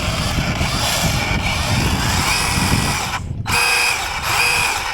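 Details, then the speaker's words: Schumacher Cougar SV electric RC buggy during build, driven lightly on grass: uneven gritty grind pulsing about once a second from the drivetrain after a drive shaft popped out; cause unclear, owner may need to adjust the slipper clutch. "So the drive shaft has popped out, but also there's another problem, which, as you can see, something just doesn't sound right."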